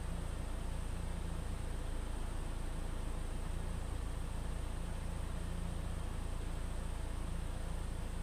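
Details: 2013 Ford EcoBoost 1.6 L idling after mass air flow sensor cleaning fixed rough, unstable idle: low, steady hum with even pulse about two and a half per second, no stumbles; smooth settled idle.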